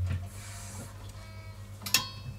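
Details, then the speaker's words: Renault Clio 2 rear drum brakes after new pre-assembled shoes and wheel cylinders: a few sharp spaced clicks as the brake pedal is pumped, stopping once set; automatic self-adjuster ratcheting into place normally. "C'est très simple, il suffit de pomper sur la pédale de frein et on entend le système fonctionner car il fait des petits clics. Quand les clics s'arrêtent c'est que c'est bien en place."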